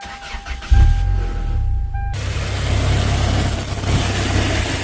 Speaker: is a good one. Spun a bearing. Check this out.